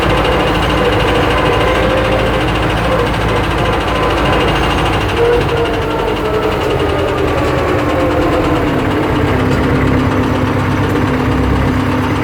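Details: YuMZ tractor (EO-2621) diesel at steady idle with a sharp, regular knocking tick that stays even at constant speed; piston knock, likely worn pistons slapping.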